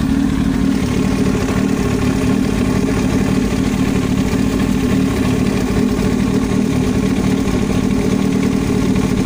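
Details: Yamaha YZF-R1 at even idle: a constant rapid clatter from the top of the engine that never lets up, an abnormal knock in the engine head.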